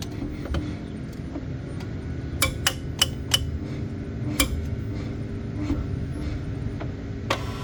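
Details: Cupra Born 150kW MY24 electric car, near-silent, with sharp clicks from the rear axle when shifting from D to R.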